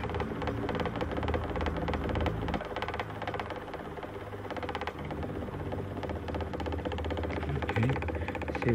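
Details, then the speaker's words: Antique GE fan, model X56867, before service: motor hum with an uneven knocking clatter as the armature slides endwise through its bearings and bangs the back of the oscillation gearbox. "what I did know is obviously the armature rocking back and forth as you can see it there moving in and out and so when it moves in and out it's hitting in the back here"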